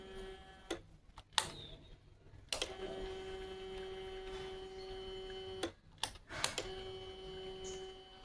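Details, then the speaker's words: Bajaj Pulsar RS200 BS6 fuel pump, which was causing missing, tested submerged in petrol after cleaning its filter: quiet, steady mid-pitched hum between a few clicks, no dropouts; petrol flows at good pressure without cutting. "കണ്ടോ cutting ഇല്ലാണ്ട് petrol നല്ല പ്രഷറിൽ വരുന്നുണ്ട് അതായത് നമ്മളഇപ്പോ filter clean ചെയ്തപ്പോൾ അത്യാവശ്യം നല്ല പ്രഷറിൽ വരുന്നുണ്ട്"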